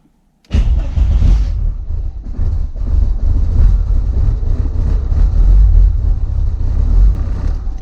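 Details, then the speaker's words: Audi S2 at start-up: engine catches and settles into a fast, surging idle well above normal, no fault codes; owner suspects the idle control motor makes it race, unconfirmed. "se on tyhjäkäyin moottori mikä ny se käyp sitten niin saatanan lujalla kun tu tyhjäkäytimoottori lähtee päälle"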